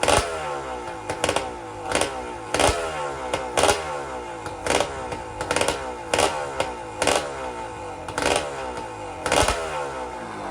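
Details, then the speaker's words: Honda Grom with swapped KTM EXC300 two-stroke engine, first start and ride: repeated sharp throttle blips about one a second, rising and falling cleanly with crisp ring-ding and no knock; healthy, slight carb gasket weep noted. "well oh man what an experience to finally hear it fire up and go for a little ride down the garden"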